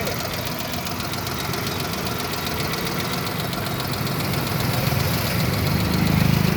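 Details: Suzuki Alto engine at steady idle with an even ticking rhythm, roughly four per second, over the engine note; abnormal engine noise, source not pinned down, cause suspected but not confirmed.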